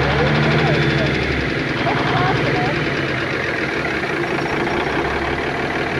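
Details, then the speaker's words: 1988 Kenworth K100E with a Cummins 400 Big Cam IV, first start after sitting untouched for 9 years. It idles with an uneven, stumbling beat and a regular skip, a cylinder missing, with no rod knock heard and the cause not found. "it's definitely missing though"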